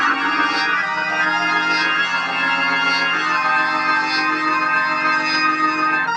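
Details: Sustained organ chords come through full and even, no fuzz, crackle or breakup, on the amplifier after replacing cheap 0.047 µF 1600 V and 0.1 µF 600 V capacitors with quality Cornell Dubilier caps; plays cleanly.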